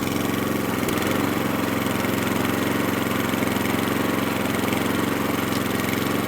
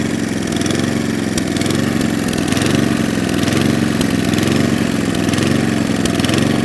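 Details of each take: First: Atco Balmoral cylinder mower unrun for nine years, after carburettor fuel screw opened about three-quarters of a turn: even, rapid, steady beat, no spluttering; running sweetly. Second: Atco Balmoral cylinder mower unrun for nine years: engine note rises and falls about once a second; lean surge, carburettor fuel screw then opened about three-quarters of a turn.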